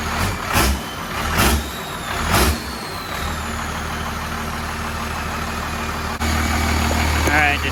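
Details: 1993 Cummins 12-valve diesel on D350 chassis in a 1940 Chevy truck, idle rod just extended and being adjusted: after early throttle blips, steady low idle with even regular beat, no misses or knocks; normal idle.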